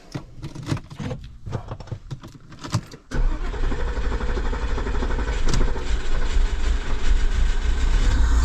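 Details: Porsche Cayenne V8 after sitting off the road for years, with alternator, starter, intake manifold and cooling pipes redone; a few clicks, then it catches at about three seconds into a steady, deep idle with no misfire; normal start and idle.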